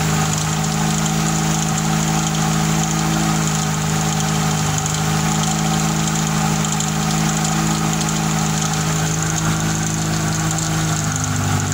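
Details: Fiat Tempra 2.0 16V, first cold start of the day, hood open, just started: loud exhaust drone with an irregular mechanical noise underneath, about 88 a minute; owner wonders if bearing, piston or a simple bearing of some accessory, unconfirmed.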